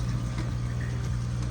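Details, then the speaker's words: Hygger ultra-silent aquarium air pump held in place by suction feet, running one outlet to an air stone: low, steady hum with soft bubbling, no rattle or buzz; quiet, normal running. "Look how quiet that sounds. It's not moving around because the suction cups, the suction feet is stuck to this here, so it's not gonna move around."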